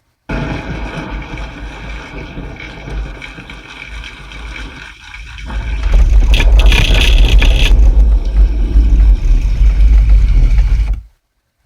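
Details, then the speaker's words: Bass shaker bought on eBay: heavy low buzzing swells into a louder rough rattle, then cuts out intermittently during playback. Something inside seems loose, possibly from shipping; three other units and the other side are fine. "the other side is working fine at this side something's come loose on the inside of it"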